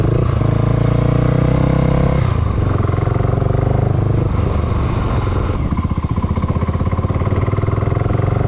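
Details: Honda GB500 single, cold start with choke on: thumping wavers and slows, beat turning loose and uneven as it sags toward stalling; won't hold idle; cause not yet known.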